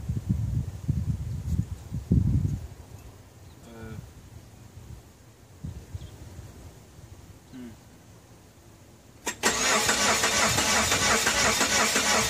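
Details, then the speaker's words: 1993 Geo Tracker bought with a supposedly locked-up, blown engine: starter turns it over in a steady rhythm but it never fires or catches; crank-no-start, cause unknown, owner says it doesn't sound good. "i'm just gonna bump it whoa it cranks he told me it was locked up doesn't sound good though"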